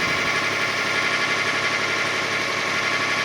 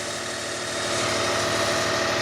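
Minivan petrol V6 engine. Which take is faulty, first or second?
first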